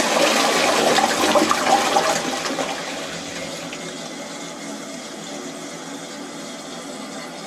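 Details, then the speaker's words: Outside toilet cistern after fixing the leaking siphon diaphragm that let water trickle into the bowl: strong rushing flush fades into steady quiet refill with no trickle or hiss afterwards; flushes and refills normally. "that's the toilet filling up again it's a it's a good thing to know it handy to know"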